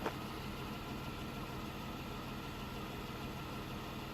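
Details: 1991 Dodge Grand Caravan SE, revived after sitting since 2003, now roadworthy after a drive (speedometer faulty): low, steady hum, no misses, knocks or ticks; smooth, even, healthy idle.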